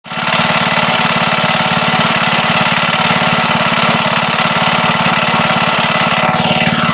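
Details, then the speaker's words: Wisconsin single-cylinder engine, long unused and leaking oil and fuel: hard, fast rhythmic hammering about three to four beats a second over the firing. Slight play found in the rod at the crank is blamed for the knocking. Rod knock. "it sounds like there's a slight bit of play in the rod down at the crank, and that would probably be the knocking when it's running."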